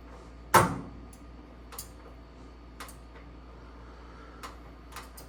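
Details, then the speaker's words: Bertazzoni vent hood X365 with intermittent lights: one sharp snap then faint dry clicks about once a second as buttons are pressed and light lags; faulty main control board relay chattering. "buttons okay so now I can hear the noise clicking noise if I flick here it comes on and the same thing here I I hear the click noise but the light came on after a second"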